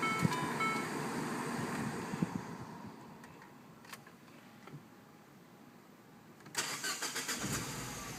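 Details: 2007 MINI Cooper S starter cranks in a run of even pulses before the engine reluctantly catches; hard start and rough idle occur after sitting 4+ hours following hot running; cause unknown.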